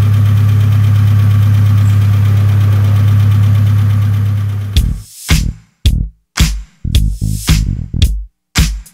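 Steady, even diesel idle with a low, constant beat and no knocks or rattles under the background music; runs smooth.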